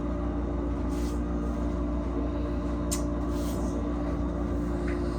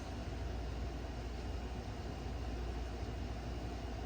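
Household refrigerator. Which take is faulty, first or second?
first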